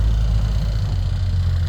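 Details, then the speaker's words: Bombardier tracked snow vehicle after a cold-weather morning start, test runs done with the diff knock traced to U-bolts; low, steady, smooth drone, no knocks or misses; normal running. "And little cold weather start here this morning, but it got going and it's been running along smoothly"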